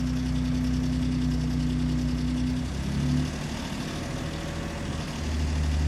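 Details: 2017 Raptor, 130k miles, cold start after sitting two weeks: low idle with a tonal hum and rough pulsing that fades and smooths out after a few seconds; cause unknown, owner worried.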